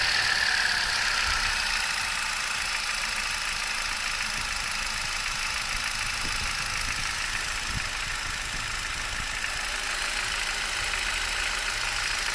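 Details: 2011 Turkish-built Hyundai i20, 1.2 L Kappa petrol, 45,000 km: idle with fast, fairly regular ticking clatter over hissy top end; engine noise, source unknown.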